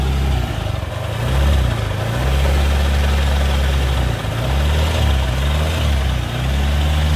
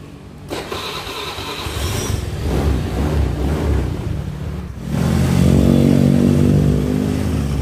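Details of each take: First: Suzuki Nex scooter: smooth at idle, but a deep rough growl (ngorok) from the CVT area as the throttle opens. The cause was found to be worn CVT and final drive bearings. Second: Suzuki Nex scooter after replacing two bearings in the CVT, at the rear pulley shaft and the adjoining drive: starts and revs smoothly and cleanly, the earlier growling and rough noise on throttle gone.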